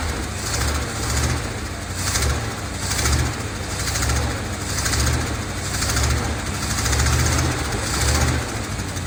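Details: 1970 Dodge D200 V8 truck, first start on brake cleaner as starting fluid: lumpy idle surging up and down about once a second, running rough; owner suspects a vacuum leak, with many vacuum hoses plugged off by screws.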